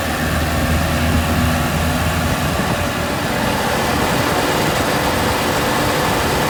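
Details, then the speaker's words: M151A2 MUTT four-cylinder after valve adjustment of loose, sloppy lash: a steady, even engine note with no ticking or skipping over wind noise, now reaching 55-60 mph on the road. Normal running. "that sounds a thousand times better"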